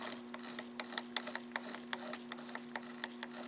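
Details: Zeiss SL-120/130 slit lamp elevation joystick drive after adjustment: steady low motor hum with light, irregular ticks about twice a second; noise reduced, operation acceptable.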